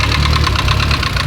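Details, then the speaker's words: Mitsubishi Evo 10, all stock cams and springs; quick even tapping knock about six per second over the idle from the top end, caused by a failed MIVEC cam gear. "check your mayvac it's probably probably hammered"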